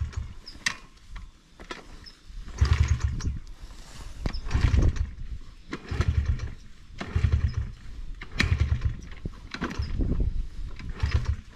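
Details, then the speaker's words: Brand new Honda 50cc motorbike, fuel on and choke on, kick-started repeatedly: a few sputtering pops, catches briefly then dies every time, never idling; flooding or throttle misuse while kicking suspected, not confirmed. "oh it wants to go"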